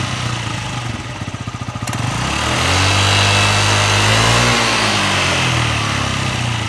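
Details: Yamaha Jog ZR (SA36J/SA39J) scooter with about 9,000 km, bought as an accident-damaged bike, after repair of an engine noise: the small two-stroke putters evenly at idle, revs up cleanly and settles back with no knocking or rattle.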